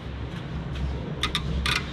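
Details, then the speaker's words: John Deere 455G: key turned, starter relay clicks sharply but no cranking; 12 volts reach the starter and jump pack on the starter gives nothing, so the starter motor itself has failed. "relay's clicking bud time to get some testing equipment out"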